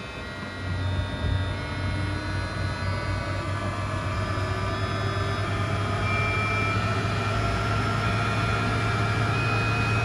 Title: Model X vibration noise when AC compressor is running